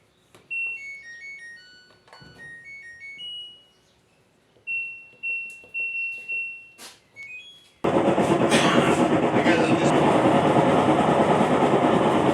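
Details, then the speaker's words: Aging top-loader washing machine, after a short chime tune a loud, steady, harsh grinding roar; clutch housing gears eaten and worn out, parts rusted, pump dead, leaking water; fix is replacing the clutch housing gears. "noise so this is the problem the clutch housing so the gears are on out"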